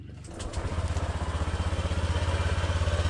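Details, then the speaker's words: Honda Click scooter started to a fast idle: steady rough throb about three beats a second; with the wheel turned by hand a scraping is heard, torque drive suspected as the noise source. "mapapansin ninyo mga paps ito yung ingay yung ingay ay nanggagaling dito mga Paps dito nanggagaling yung ingay So parang feeling ko is sa Torque drive"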